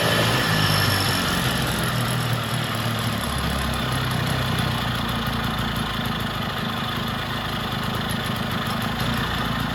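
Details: Vintage Jacobsen two-stroke reel greens mower, first start after sitting, extra oil in cylinder and fuel, off choke with governor not yet sorted; low idle putter, slightly uneven beat but runs cleanly; sounds healthy.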